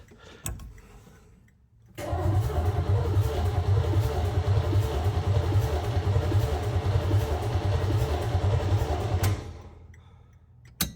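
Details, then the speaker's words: 1970 Chevrolet Chevelle project car pulled from a field with dirt in the engine, battery just hooked up for the first time: the starter cranks steadily and evenly for about seven seconds, but the engine never catches. "Well, it turns over. Let's pour a little gas on the car. See if we can get a fire at least."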